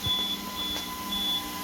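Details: APC 3000 UPS after replacing 16 batteries, 48 V system, running on battery powering an Arista 7050 and a loaded Dell R620: short, thin high beeps repeat over steady fan hiss, an on-battery warning.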